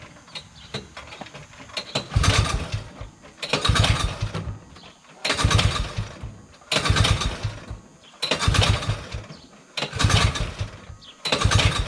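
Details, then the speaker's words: 1971 Massey Ferguson Ski Whiz 300s snowmobile, JLO single-cylinder two-stroke, sat 20+ years, choked, on jack stand: repeated cranking bursts about every 1.5 s without catching; possibly dry fuel pump diaphragms, not enough fuel. "The diaphragms and the pump can be rather dry. This is where it's awesome to have two people. There's still not enough fuel. Not enough fuel."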